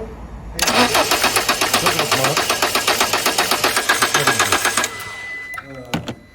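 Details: Peugeot 207 1.6 (NFU, Bosch ME7.4.4) cranks steadily at about four compression pulses a second for roughly four seconds but never fires. Stored code P0616 (starter relay circuit short to ground); the starter relay is clicking. Crank, no start.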